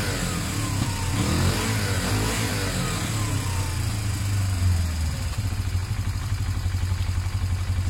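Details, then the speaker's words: Motorcycle after refitting loose airbox with extra pod filter: revs up and drops back cleanly, firing smooth and even, no knocks or rattles, no odd gauge needle movement; runs healthy. "great I can hear it's fine problems at all no weird movements of the needle"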